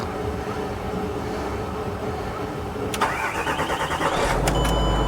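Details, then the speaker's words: 2007 Range Rover V8 (owner thinks 3.6 litre twin turbo), crash-damaged, on a new battery: fan noise, brief crank, then it starts on the key and settles into a smooth, even low idle with no ticking or smoke; normal. "It's a 2007 car, but it did just start up on the key, no issues. Sounds really smooth. Can't hear any ticking, no weird noises."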